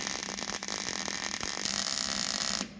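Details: Hobart Handler 140 welding on a new machine, second operator's first pass. A steady, even frying hiss with fine crackle and no popping or sputtering. A smooth, well-shielded MIG bead running properly.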